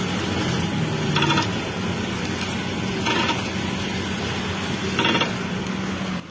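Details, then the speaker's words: Car steering: three short creaking, grinding bursts over a low hum when the wheel is turned left or right; heard from underneath, shock absorber and shock mounting checked and found not to be the cause. "Pag niliku niya yung manibela, pakaliwa or pakanan, nakakarinig siya ng ingay."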